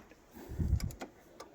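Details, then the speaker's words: Land Rover Defender 130 TD5, flasher relay located behind the instrument cluster: a few soft, light, even clicks from behind the dash as new lights are wired; normal flasher relay clicking. "If you have got a Defender, your relay is going to be behind the cluster, not where the instructions tell you. And the best way to find it"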